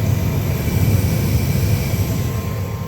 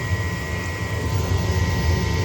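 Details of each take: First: 70,000 BTU upflow Lennox furnace after replacing the pressure switch: igniter glows, then a steady even low roar with faint constant tone, no puffing or surging; burners firing normally. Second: 70,000 BTU upflow Lennox furnace, no-heat call, doors off: only the inducer's steady low hum with faint fixed tones, no burner lighting; fault code shows pressure switch failed to close or reopen, stuck diaphragm.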